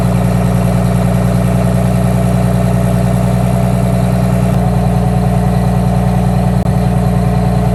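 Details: 1962 GM 4106 bus with Detroit Diesel 6V92TA idling after an oil change: deep, even diesel chatter at about three pulses a second, no misses or knocks. Healthy idle.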